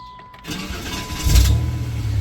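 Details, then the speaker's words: 1993 Dodge Caravan, head gasket previously repaired, restarted after refuelling: brief uneven starter whirr before the engine catches into a rumble; starter always sounds funny when cranking, no smoke afterward. "starter. Always that starter sounds funny, but whatever."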